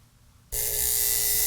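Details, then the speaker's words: 1950s ATR mechanical power inverter (6 VDC to 110 VAC), during repair after the vibrator pendulum was moved back into contact: sudden steady bright buzz holding an even tone; vibrator contacts making and breaking properly again. "so we should have another connection to here that will allow this to make and break contact"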